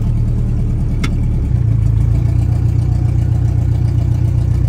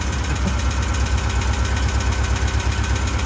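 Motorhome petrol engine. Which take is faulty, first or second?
second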